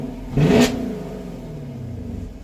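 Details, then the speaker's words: New muscle car with a direct-injection V8, track exhaust mode: short deep throttle blip settling to a smooth, rumbling idle; normal running, louder and deeper than in standard touring mode. "but this is how it sounds in a standard touring mode pretty quiet not too loud put it in track mode it's a lot louder because a lot deeper"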